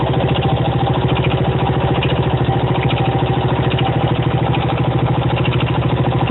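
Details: 1975 Honda XL125K single at steady idle: dull knock on every beat, roughly three per second, loud over the thump; persists after new cam chain installed; cause unclear.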